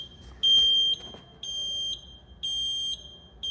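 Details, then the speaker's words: Taylor C723 soft serve machine with the left thermistor ribbon pulled out: high-pitched alarm beeps about once a second, display reading left hopper/barrel open; open-circuit temperature sensor alarm used to identify the side. "Left side says open. So, what we just did right there was we see now that this is left side because it's saying open."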